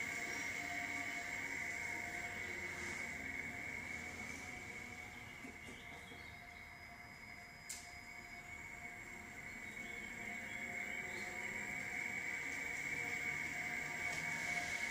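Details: 2016 Toyota RAV4 XLE Hybrid pedestrian warning sound while backing out of the garage below 15 mph: steady, high, even whistle holding pitch over light rolling noise; normal operation.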